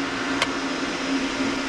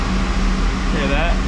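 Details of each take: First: Oil boiler burner blower motor plugged in fails to start, giving a steady low electrical hum and one click with no fan spin-up. The seized motor needs replacing, and the burner control trips out. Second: Boiler oil burner after the controller is reset fires and settles into a steady even hum with a smooth fan rush, no rattle or surging. It is a normal start, and an analyzer is to be hooked up next for tuning.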